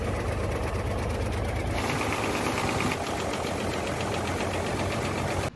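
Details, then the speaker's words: Hino J08C truck diesel engine after severe overheating, also showing oil from the dipstick tube and blow-by (back compression): rough idle with hard, rapid knocking on each firing pulse; suspected seized piston, unconfirmed. "Start करने के बाद एक तो engine में आवाज आ रही है"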